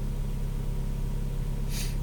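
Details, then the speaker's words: 2002–2006 Honda CR-V with K24 engine idling after tube seal replacement with aftermarket seals; steady, even low hum, very smooth with barely any shake and no stumbles or ticks. Normal idle. "it's really idling nice it's pretty smooth barely any Shake right now"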